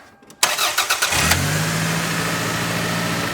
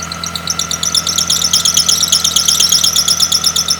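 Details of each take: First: Engine start after tensioning a deliberately loosened drive belt via its adjusting bolt: brief cranking, then a smooth, even idle with no belt squeal, confirming the tension fix. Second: Car engine running with a new drive belt that was deliberately slackened, giving a pulsing squeal about three chirps a second from low tension, fixed by tightening the adjusting bolt.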